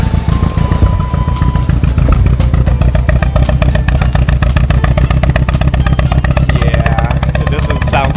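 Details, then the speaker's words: Toyota AE86 with stock 20V engine, injectors, spark plugs and distributor already tried without fixing it: uneven, lumpy stumbling beat under music; number two cylinder going bad, expected to worsen, engine to be pulled for rebuild. "it turns out that it is the number two cylinder is going bad and we probably have to take out the engine to rebuild"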